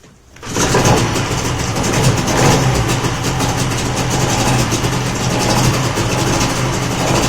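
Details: Old two-stroke outboard after fuel filter repair, choke off and pulled to full throttle, fires quickly and settles into a steady, even buzz with no misfires or stumbling.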